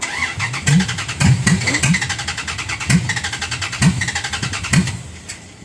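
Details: Dodge Ram with a carbureted engine and temperature-driven mechanical choke, cranked for almost six minutes in weather that's not that cold. Slow, labored cranking with uneven firing bursts that never catch: a temperamental hard cold start, with ether sought.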